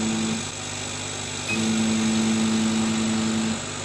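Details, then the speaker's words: Chinese laser cutter run with RDWorks, cutting at low feed speed: a mid-pitched stepper hum drops out and surges back, jerky stop-start head motion. "you can hear the stepper motor making a hell of a rattle as it's trying to stop start stop start stop start it's got the brakes and the accelerator on at the same time"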